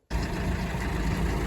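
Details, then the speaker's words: Used Kuhn GA 4101 GTH rotary rake, first engagement on tractor PTO, arms off and hydraulic line disconnected so rake sits low and scrapes ground: deep even engine drone, steady driveline, no knocks or grinding; runs smooth and healthy. "well first time engaging it on my tractor and it seems nice and smooth"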